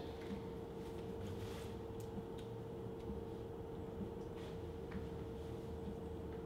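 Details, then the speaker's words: Eco King boiler during start-up and calibration, settled at its low-fire set point with small flame: very quiet, steady low hum with a faint constant fan tone, no surging or rumble; running normally at low fire. "you can hear the power of the boiler the fans not going is hard it's extremely quiet the boiler once it's done it's it's got its set point at low fire"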